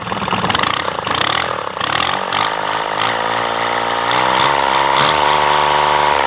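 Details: Kubota D905 three-cylinder diesel after valve clearance re-tune, run with rocker cover open; catches and settles into a steady, even idle with a clean regular beat and no odd tapping; normal idle.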